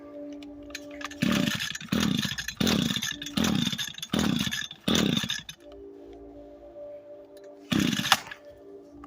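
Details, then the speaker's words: Echo SRM 225 trimmer with broken choke, would not start: fires and revs in short bursts but sags back and won't hold speed, bogging down. "so as you see, so it starts, but apparently it bogs down. So yeah, guys, as you can see, it bogs down."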